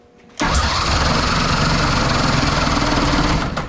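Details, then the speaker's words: Nitro funny car Hemi first fire-up attempt on alcohol fuel with battery charging; loud, even churning crank for about three seconds with no firing because the mag switch was off, so no start. "Mag switch was off. Oh. Mag switch was off. Mag switch was off."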